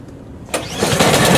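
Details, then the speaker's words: PowerSmart 24-inch snowblower, season 10 first start of winter, rope start with choke on; quiet pull, engine catches at once and builds to steady running, a clean normal cold start. "So we're going to rope start it. Choke is on start. Switch is on."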